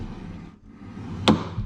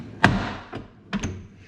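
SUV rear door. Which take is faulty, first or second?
second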